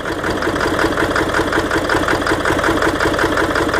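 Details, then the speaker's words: 1997 Ford F250 Powerstroke diesel with a hard-start problem, just after starting with some smoke: lumpy, uneven loping idle; owner suspects it is running on about six cylinders, cause unknown. "Sounds like she's running on probably 6 cylinders, I don't know."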